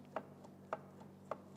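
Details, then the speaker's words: T5 manual transmission out of the car for rebuild, shaft shoved back and forth gives hollow metal clunks about half a second apart from far too much end play; stretched bearing retaining plate suspected, not confirmed. "the end play on this one you can you can hear how bad that is there's supposed to be virtually no movement on this"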